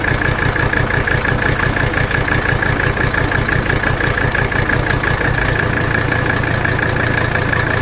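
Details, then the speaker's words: 1985 Mercedes 300D diesel idling in drive under AC load while the rack damper bolt is adjusted; lumpy clatter that gets rougher with the bolt setting, then smoother; the bolt setting did not fix the underlying rough idle. "You see that? Watch. You hear it in the engine too. Really rough. Smoother."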